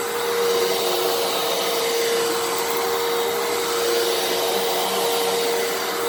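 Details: Fantom Fury 12 amp vacuum, made October 2000, after clearing a clog: smooth, steady high motor whine with constant airflow rush, no surging; brushroll and motor now run perfectly.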